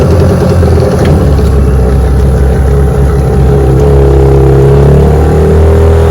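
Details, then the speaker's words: Restored 1996 Johnson 15 hp outboard (J15RED), warmed up, on lake test run under load: loud drone sagging and wavering in pitch; motor bogging from overheating, later traced to a stuck thermostat. "run all right so I guess you noticed how the motor started running bad on that Lake Des run so took her on in and sure enough I don't know what it is but it was bogging down not running"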